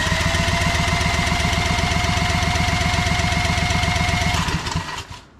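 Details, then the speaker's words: Old Generac generator, about 15 years old, unrun for years, with a previously faulty carburetor and auto idle, cranked with a drill: catches and runs rough with uneven fast pulse for about four seconds, then dies; spark plug afterwards found fuel-soaked. "it's really weird it popped off real nice before"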